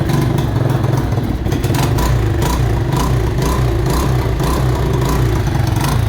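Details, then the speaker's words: Mojave 250, year unknown, after timing chain replacement (old chain loose, jumping time): revved, barks unevenly with irregular pops, backfiring, heavy exhaust smoke, may not idle; owners suspect timing is off. "smoking a lot off that exhaust it doesn't sound like it's in time right see it backfiring see I don't think it's gonna be able to idle"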